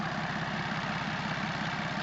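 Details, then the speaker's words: BMW X5 diesel, running with nothing refitted on the engine: rough idle with a fast, regular clatter on each firing pulse from loose, unmounted parts rattling. "T'inquiète, on tourne. C'est à part le bruit de merde parce qu'il y a rien qui est remonté dessus, il tombe."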